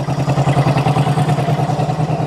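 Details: Carbureted engine started cold after sitting about six weeks, fuel leaking: lumpy idle with a sharp puffing tick about ten times a second following the firing; small exhaust leak near the head.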